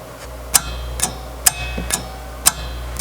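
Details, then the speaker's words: 1975 Gottlieb Soccer electromechanical pinball machine: sharp metallic clicks about every half second over a low hum as relays and solenoids pull in once the open tilt switch is adjusted to stay closed. "you hold that switch closed and it turns on the relay or on the solenoids"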